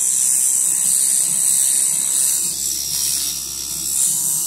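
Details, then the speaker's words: Centri Cobra machine running at wide-open stroke with no load or needle: fast steady high buzz with light rapid armature clunking underneath, which is normal. "Like I said, if it's wide open and there's nothing on there, you'll hear that little clunk, clunk, clunk, clunk, clunk. Don't freak out."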